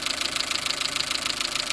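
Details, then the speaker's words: Chevrolet Matiz just back from an engine rebuild (valve stem seals, head gasket, skimmed block, service), heard at idle with the bonnet open: light, quick metallic ticking; oil level fine; owner suspects a pulley. "I don't know if you can hear that, maybe it sounds a bit more tappy, or maybe it's just because I've not had the car for a while. Maybe a pulley or something down there, I'm not too sure."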